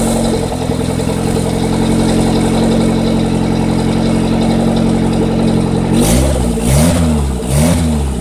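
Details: Honda D15 turbo engine at high RPM: holds a steady high rev, then pitch swings up and down in repeated waves; surging attributed to a bad Walbro 255 fuel pump.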